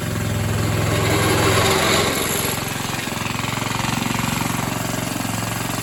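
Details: Atco Suffolk mower small single-cylinder engine, with the clutch working after the wear plate adjustment. It thumps at about three beats a second and the load eases after a couple of seconds; running steadily.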